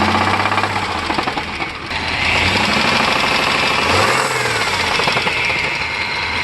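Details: 1998 Chevy Blazer 4.3 Vortec V6: heavy uneven knocking about three per second over loud engine, typical 4.3 Vortec knock from one cylinder bank; earlier fix failed, LS swap planned.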